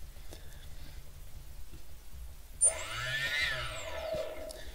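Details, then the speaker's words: QAV250 quadcopter brushless motor during CC3D ESC calibration in LibrePilot: near silence, then thin whirring spin-up as throttle reaches about 16, minimum value where the motor starts spinning. "alright there's that when I went to the sixteen that's when my motor starts spinning and when that happens you press the stop button"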